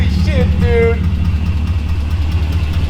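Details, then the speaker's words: E39 BMW 540i V8 bought abandoned, first run after revival: quick, fairly even tick a bit over two per second over a smooth idle; no check engine light yet, exhaust leak suspected, not confirmed. "There's like a terrible ticking noise. I'm not even going to worry about it right now."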